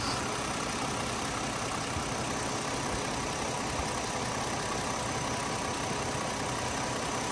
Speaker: I'm gonna stand here for maybe 10 or 15 seconds let you listen to it at idle and then I'll rev it up a little bit